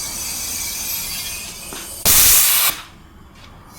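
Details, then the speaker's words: Commuter van, loud A/C compressor knocking when engaged, during A/C system flush: sudden loud hiss of venting gas for about half a second then sharp cutoff; flush machine blowing off overpressure. "อันนี้เสียงโบว์นะครับแรงดันเกินนะครับ"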